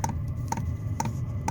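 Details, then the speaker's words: Chinese Webasto-style diesel heater mounted under a Renault Trafic 3, fed with diesel straight from the tank: its dosing pump clicks sharply in regular double ticks about twice a second over the heater's hum; it is loud outside but expected to be fairly discreet inside; normal. "Ça fait quand même du bouquan entre la pompe qui fait du bruit, qui claque et le système du chauffage, je pense que ça va être assez discret dans le camion."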